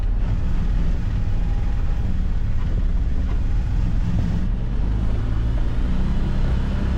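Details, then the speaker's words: 2022 Can-Am Defender HD9 DPS cab after fix: steady low drive rumble rising with acceleration, no rattle; front-centre rattle at 50–70 km/h was loose factory heater core, fixed with foam weather stripping; faint new tingy sound heard. "So, that that was a lot better. I heard this little tingy sound after, but I never noticed that before. Probably cuz that was rattling too much."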